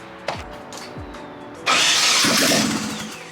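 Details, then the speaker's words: Nissan 240SX first start after 10 months out of service: short crank, then a harsh rushing burst that never settles to idle. Cranks but won't start; a fuel line leaked heavily under the new higher pressure, leaving the engine bay wet. "all right now we try to start it there was a like you can see it's really wet there was a huge gas leak here"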